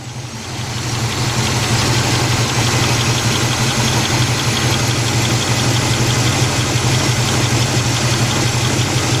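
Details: 1977 Buick LeSabre 350 V8 after engine removal and gasket overhaul, warming up with choke not working, no antifreeze, timing just adjusted: smooth, even idle settling after start, steady low drone, no tapping or knock; healthy.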